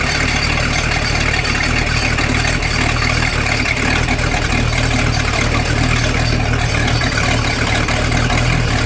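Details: Boat engine run out of water on earmuffs with garden hose, after newly crimped battery wire connectors: steady, even low rumble, no misses, knocks or surging, settling into a smooth idle; normal idle.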